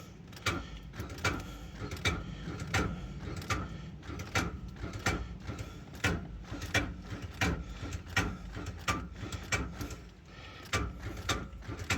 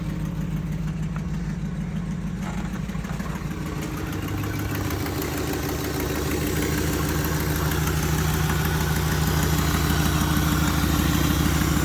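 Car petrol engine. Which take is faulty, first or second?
first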